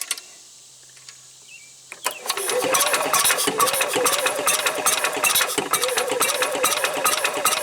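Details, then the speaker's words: 1990 Club Car golf cart engine, no exhaust, in neutral, starting fluid sprayed in, weak spark: starter turns over sluggishly, about two or three compressions a second, no firing; battery low, needs charging. "oh I might need to juice up the battery it not turning over very fast"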